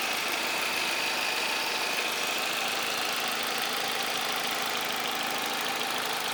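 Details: Opel Vectra C 2.2 SRi, 2003, steady idle with a light, fast, rather uneven top-end tick over a hissy top end; ticking at idle, source unclear.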